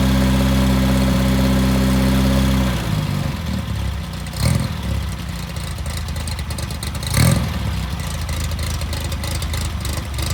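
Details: Fresh-rebuilt VW Type 1 1776cc flat-four (Engle 100 cam, 90.5mm pistons, 69mm crank) on a bench stand, Flamethrower distributor, during dynamic retiming: even, steady idle with a smooth low beat, then a looser burbling run with a couple of throttle blips; normal idle.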